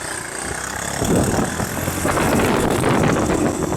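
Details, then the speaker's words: Land speed motorcycle sidecar racer, after a carb fix: rough, uneven firing that stumbles and breaks up as the throttle opens. It runs no better than last time; misfire under throttle, cause not confirmed. "It's the same as last time. Heat. Heat. Hold just a second. Let me go get my jacket. The camera van out. Doesn't run any better than last time."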